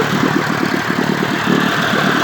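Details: 1958 Evinrude 18HP Fastwin two-stroke outboard, rebuilt with replacement powerhead, new rings, crankpin bearings and NGK B6S plugs, heavy 30-weight oil mix, running in water: quick, even putter at idle with no misses or rattles; normal idle.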